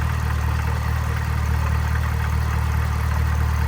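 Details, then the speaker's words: 5th-gen Camaro ZL1 supercharged V8 at idle, with a solid isolator already installed: light metallic rattle riding steadily over the rumble from the engine bay. "then randomly one day I um started hearing this rattling coming from the engine bay and I was like oh what the [ __ ] and so I uh popped open the hood"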